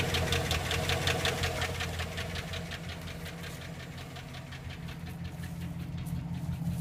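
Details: 2007 GMC engine with a steady, hard ticking knock of roughly three beats a second over a low drone; owner unsure whether rod bearing or valve, cause undetermined.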